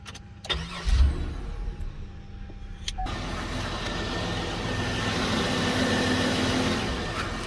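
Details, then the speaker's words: 2008 Buick with crank but no start, fuel pump relay (under recall) jumped as a test: starter cranks briefly, then the engine catches and settles into a steady, even idle, confirming the relay fault. "now we have a running car"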